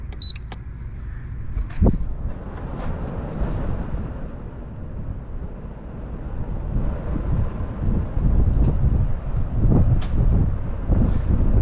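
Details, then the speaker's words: Large swamp cooler after replacing its failed circuit board, powered on: low fan rumble starts soft and gradually builds speed and volume, no scraping or knocking; slow start is normal for this cooler. "So it may look like if it's starting slow, that's actually how the swamp cooler works. It goes slow in the beginning and then starts to get a higher velocity later on."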